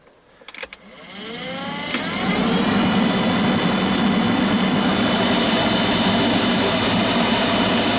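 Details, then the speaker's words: GAZelle heater blower motor after reassembly: spins up over two seconds into a steady droning hum with whirring buzz; owner says noise comes from the brushes' commutator, plans to clean it. "вы знаете вот шум идет как раз таки вот с этого коллектора по которым щетки ходят жужжит"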